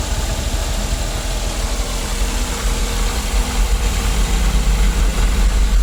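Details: 2009 Daihatsu Gran Max after installing a new idler pulley assembly: even, deep idle with a smooth low rumble and no whine or hum on top; engine sounds healthy.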